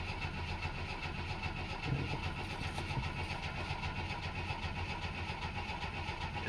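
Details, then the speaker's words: 1964 Chevy II with points ignition, oil pressure confirmed while cranking: steady uneven starter cranking with no cylinder catching; a coil-wire screwdriver test shows no spark, traced to burnt points. "all right now I'm going to pull this coil wire off and I'm going to stick a screwdriver in it and we're going to check for for spark no spark"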